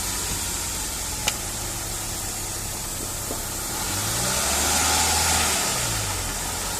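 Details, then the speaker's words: Hyundai Grand i10 petrol manual gearbox, after replacing a humming gearbox (hum worse in 2nd and 3rd) with a used one: engine idles evenly and revs smoothly, all gears shifting, no whine or grinding; normal gearbox running. "सारे gear shift करके देख रहे हैं जगह पर तो सारे gear shift हो रहे हैं कोई आवाज नहीं है"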